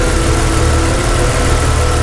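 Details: Jeep Cherokee XJ idling after refitting the fuel rail with new injector O-rings and a harness cleanup: steady, even low idle rumble with no misses, ticks or knocks. No fuel leaking; the smoke seen is likely degreaser burning off.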